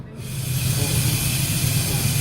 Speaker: you know what that was thanks that's the the bottom of the tank let's out the moisture automatically so when I plugged it back in it went to a cycle